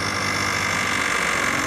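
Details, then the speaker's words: Cold Peugeot CityStar scooter idling on first start; a fast, hard tapping knock sounds within the buzzy note, worse when warm, cause unknown, and the plug later fouled with oil. "No dobra już słyszymy to już słychać wyraźnie takie stukanie"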